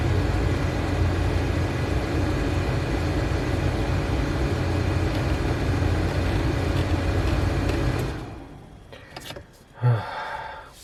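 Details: Subaru Impreza after removing and refitting the blower motor behind the glove box to cure a bad noise, ignition on: smooth, even fan rush with a low steady hum and no rubbing or squeal before it shuts off; blower motor running normally.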